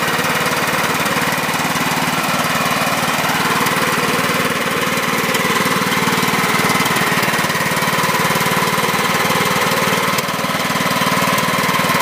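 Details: 2006 John Deere L110 with a Kohler Command 17.5 hp engine, after sitting two years, with a new battery, stale gas drained and overfilled oil reduced: a steady, even chug at constant speed with no misses or surging. Runs healthy, with some oil burning off the muffler.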